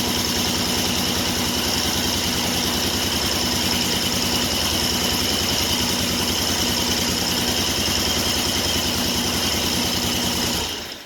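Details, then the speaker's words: 1974 Triumph Trident after installing Tri-Spark ignition and strobe timing: engine holds an even steady idle with regular beat, no misses, knocks or hunting, then shuts off cleanly; sounds a lot better. "Yeah, it sounds a lot better."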